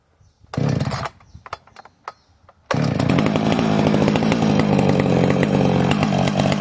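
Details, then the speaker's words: Heavily modified Husqvarna 455 chainsaw on its third tank, not yet broken in; a few sharp pulls and pops, then rough, uneven high revs slow to clean up — slow to rev up when cold, cause suspected, not confirmed. "Takes it a minute to get, like when it's cold, takes it a minute to get up on top of itself, eh? Not just when it's cold, but she's so much for, she's wicked, man."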